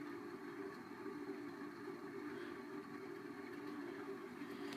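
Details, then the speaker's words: 1990 Heritage Spector 36-inch ceiling fan, formerly seized motor, running on medium: loud, steady droning hum with rough edge; oiling doesn't help, worn motor bearing noise. "see medium it picks up pretty good bearings are really getting loud now I've tried everything to try and quiet these bearings down and nothing helps it at"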